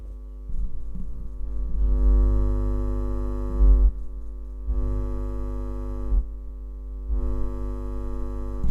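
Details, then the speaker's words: Microphone producing a steady low mains hum with stacked overtones that swells and fades, louder when the mic is touched; cause unknown. "Buczy! Buczy! Moi drodzy, buczy mi mikrofon. Nie wiem co się stało."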